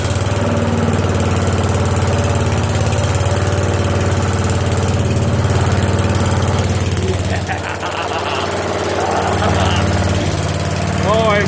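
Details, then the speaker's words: Newly swapped-in 12.5 hp flathead mower engine (replacing a 15 hp OHV), started after more oil, spark tester fitted, choke and throttle on: steady, even low thumping, running cleanly; good spark, good pressure. "Good sparks. Good pressure. Make some adjustments, but it runs."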